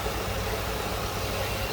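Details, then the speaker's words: 1995 Ford Mustang GT convertible, 5.0-liter V8, automatic, idling with hood open: even steady low rumble, no misses, knocks or ticks; smooth-running, normal idle. "Again, power steering, power brakes, AC. Smooth running, 5-volt."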